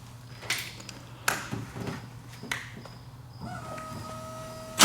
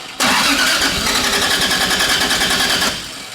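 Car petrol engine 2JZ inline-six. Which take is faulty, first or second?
second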